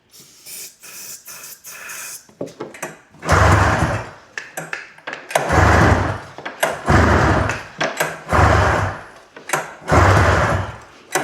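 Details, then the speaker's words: Arctic Cat Jag 340 snowmobile that sat outside almost 10 years, gravity-fed fuel line straight to carb, gas, oil, starting fluid and a bit of spark: repeated pull-start bursts, each a brief rough sputter that fades; cranks but won't start, cause unconfirmed. "You can hear this thing attempting to fire up, but it just will not go. This is the result of gas, oil, starting fluid, and a bit of spark."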